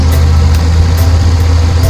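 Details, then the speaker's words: Car idling after its broken exhaust pipe/muffler, snapped by substandard road humps, was repaired and its braces fixed: steady, smooth low hum with no rattles or knocks; the cabin is now quiet. "Tumahimik na sa loob. Okay na. Salamat. Ayos. Wala lang kalampag."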